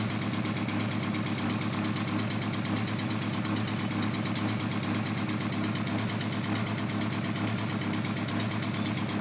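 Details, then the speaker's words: Mk2 Golf with Weber 45 draw-through turbo and tacked-up exhaust, bogging and backfiring; steady idle with ragged chuffing, several exhaust joints blowing. "sounds like a big jumble of exhaust blows it yeah it's playing a lot"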